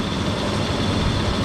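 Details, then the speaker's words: 2002 Dodge Durango R/T running after water pump replacement, with a faint high whine over the rumble from a worn A/C compressor clutch bearing; belt refitted temporarily for a leak check, later a shorter belt bypasses the A/C. "so currently uh you can hear the bearing making a lot of noise but it's just so we can check for leaks"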